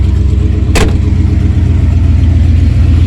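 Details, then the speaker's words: 1994 Ford F-150 with new alternator, alternator test: loud but steady, low rumbling idle with an even beat, no misses or knocks; battery positive disconnected and it keeps running fine, so the alternator is good. "Disconnect the positive and hold it. And as you can see, it's still running fine."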